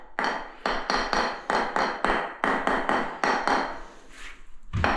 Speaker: Well, when that's solid and not drummy, why pull it up and put them back down again?